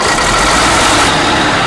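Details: Mack heavy diesel truck, running after several tries and headed to Haiti: loud, steady diesel running with no knocks, misses or grinding; the engine sounds healthy.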